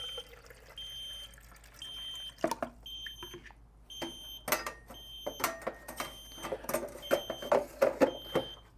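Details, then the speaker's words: Nurri R-Type HX espresso machine, new, first start-up test with water tank removed: repeated short high-pitched beeps in bursts as the sensor under the tank detects no water and the heat light goes off; normal low-water alarm. "I'll take the water tank out now you hear the beeping cuz it Doesn't sense any water and the heat light went off"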